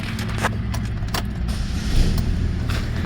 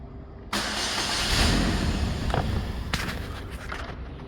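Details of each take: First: 2009 Saturn Aura 2.4 Ecotec after a cranks-but-no-start repair, running with a forgotten injector plugged back in after an earlier misfire. Steady, even low hum and a mild rev with no stumble. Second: 2009 Saturn Aura 2.4 Ecotec, fuel pump previously replaced, fuel pressure 50 psi within spec; steady cranking at about four beats a second that never catches; no start.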